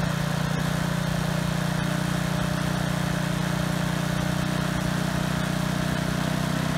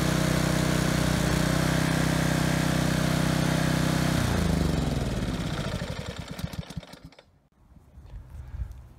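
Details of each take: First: Husky HU80709A power washer engine, single-speed, running after the pump was removed and the carburetor cleaned to cure a no-start: steady, even hum with no misses or surging; runs cleanly now. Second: Kohler Courage XT7 on Husky HU80709A power washer after carburetor cleaning: high drone whose pitch swings and sags before dying; over-revving with governor hunting.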